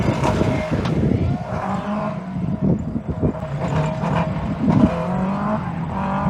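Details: 2001 Yamaha R1-engined dwarf car with modified square chassis at autocross; engine note stumbles and drops out unevenly pulling through corners, misfire under load.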